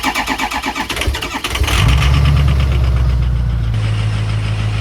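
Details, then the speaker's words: Diesel truck, cold start after waiting for glow plugs: slow cranking about four beats a second for under two seconds, then catches to a gruff idle; four glow plugs are bad, and something went wrong after earlier injector bore testing. Hard start. "I mean, that's what you get. There's actually 4 glow plugs messed up."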